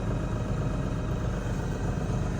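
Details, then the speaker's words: New LS MT357 compact tractor, power clutch cab version, started in neutral with the clutch down, heard from inside the cab: steady, even low diesel rumble, no knocks or misses, relatively quiet inside; normal idle. "Relatively quiet on the inside."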